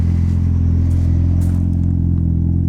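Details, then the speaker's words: Turbo Nissan 240SX S14, first start after nearly three years in storage on jump pack, cold, untuned and running super rich, oil pressure 40-50 psi; steady fast idle with even drone; idling high, owner suspects a vacuum leak. "right, it's idling pretty high. Might have a little bit of a vacuum leak or something."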